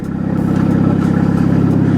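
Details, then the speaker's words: Big-turbo Volvo petrol engine idling: a steady, even low pulse with no misses or knocks, running smooth. It misfires slightly in cold-start warm-up mode. "it's running smooth and I might shoot some footage with my phone too"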